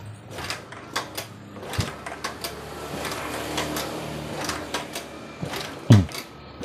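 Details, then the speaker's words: Honda Vario Techno carburetted scooter that won't start, kick-started: quick, light, even puffs with no firm compression thump, no compression at all; suspected valves or piston and rings, not confirmed. "Mungkin bisa juga klepnya, bisa juga piston dan ring shakernya. Ini kayak gini. Jadi nggak ada kompresi sama sekali."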